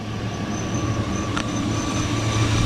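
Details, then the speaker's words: 2001 Chevy Suburban at idle after fitting a brand-new AC belt and tightening the belts: steady, even idle with low hum and faint constant tones, no chirp or squeal from the belts; sounds healthy. "It's been good, no squeaks."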